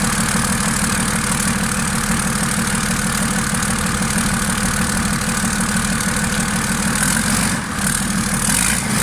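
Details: Freshly marinised 12V Cummins 6BT boat diesel, fuel pump screw turned up a half turn: steady, even diesel clatter at settled idle with no misses or knocks; normal idle.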